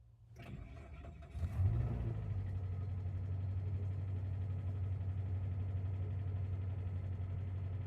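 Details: 2000 Chevy Tracker after installing a new fuel pump assembly: brief starter cranking, then engine fires within a second and holds a smooth, steady low idle with no misses or knocks.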